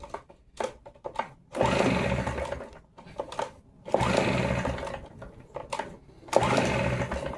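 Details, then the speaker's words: Stihl BR 380 backpack blower that won't start: three pull-start attempts on choke, raspy churning that never catches, slightly better off choke but still not firing; cranks but won't start, cause not yet found. "quite just get there. And then when I go off choke, it sounds a little bit more better. It sounds like it's about to start. It's not It's not getting there."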